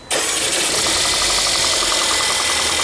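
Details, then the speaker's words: Mercedes A200/B200/GLA200 1.6 turbo, engine just started: fine high chirping whirr in quick regular pulses over the idle from the worn water pump bearing; known chronic fault, pump replacement requires removing manifold and front end. "tem um barulhinho nela aí ó beleza sente um ruído nela aí ó"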